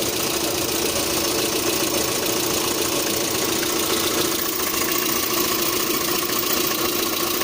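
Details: 1.6 8-valve petrol engine with a rough, busy idle and a loose, uneven tapping under the engine noise; the owner reports a knock at idle, sometimes on adding throttle at start-up, with the source unknown.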